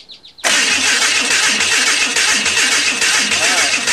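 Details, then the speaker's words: Hudson rat rod engine cranking: even starter chug with sharp pops backfiring through the carburetor; ignition timing still off. "yep yeah we're still back firing through the carburetor now try it again"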